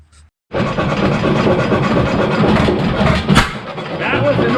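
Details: 7HP Stickney stationary engine running after decades unused since the 1980s: single cylinder thumping with a loose, uneven knock under each beat; excess shim left the rod bearing slack, shim to be removed and timing adjusted.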